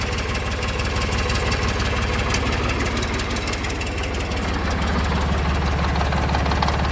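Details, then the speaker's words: Ford New Holland 445D tractor diesel idling after maintenance, PTO engaged under its cover: a low hum joins halfway as the shaft spins up, even and smooth; PTO turning normally. "although that's a cover i can engage it and hear it spin right uh here"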